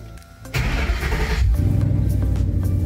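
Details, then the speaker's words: Coyote-swapped Ford F150 after HP Tuners remote tune and fifth MAP sensor: engine catches quickly and settles into a steady low rumble; RPM no longer drops out within the first seconds as it used to, normal start. "okay notice our RPM didn't drop out like it usually does it automatically drops out yeah okay so that's huge"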